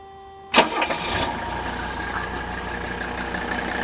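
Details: 1979 Mercedes 300 SD diesel, 167,000 miles, mic held close: quick crank catches at once, settles into an even, smooth diesel idle with no knocks or stumbles; normal start and idle, sweet-running engine.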